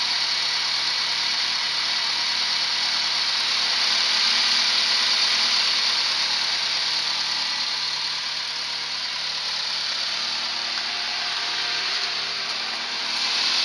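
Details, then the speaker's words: Renault 11 TXE after correctly replacing the timing belt, with an exhaust leak present: steady, even idle with no misses, knocks or surging; holds idle better than before. "Parce que moi niveau bruit, j'entends pas la différence mais elle tourne mieux quand même. Elle tient mieux le ralenti."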